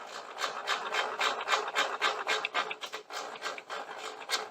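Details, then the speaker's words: DeWalt 7491 table saw after repairing the bevel adjustment lock: hand crank gives a dry rasping scrape, three or four a second; sounds like it needs more lubricant, but height and bevel adjust and lock fine. "Sounds like I could give it a little bit more lubricant, because that sounds a little nasty. But it's going up and down just fine, and the bevel is adjusting just fine, and it's locking back into place as well."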